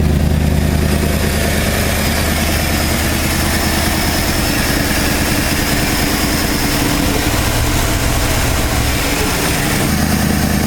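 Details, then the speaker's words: 1968 Ford F250 camper special V8, non-running for years, first start after replacing the condenser: deep, even idle with a steady low beat, no knocks or misses, mixture screws at 2.5 turns, not fully warmed up; normal idle. "it was the condenser no way that's the bestest sound that's that best I've ever heard"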